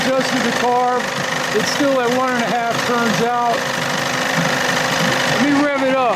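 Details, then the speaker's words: 30 hp Evinrude outboard running fairly evenly with a wavering high-pitched scream rising and falling over it; the starter drive is bent and slowly turning from vibration, dragging and causing the screaming noise. "sounds good that starter's screwed up that's what's making all the screaming noises"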